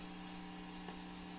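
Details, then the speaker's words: Old reel-to-reel conversion single-ended 3W tube amp powered with no input, through its internal speaker: loud steady ringing hum with fixed tones. The preamp tube in the shock mount is very microphonic. "that one's pretty microphonic right there that's the one that has the shock mount in it"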